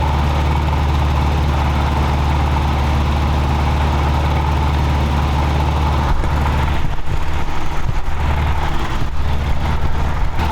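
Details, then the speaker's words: Toyota 4Runner 22RE engine idling warm around 1500–1700 rpm (dash tach not working), distributor timing already rotated to lower it; fast steady idle roughening after a few seconds, high idle caused by air leaking past a worn throttle blade. "but it it idles very very high for a while we had rotated the distributor to the timing a little bit so that we could bring the idle down just so that we weren't sitting there revving the crap out of it"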